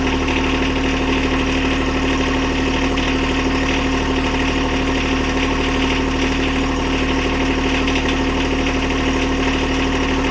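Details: John Deere 1025R tractor diesel after oil, oil filter, fuel filter and air filter change: steady even idle with constant low drone, no knocks or misses; normal idle.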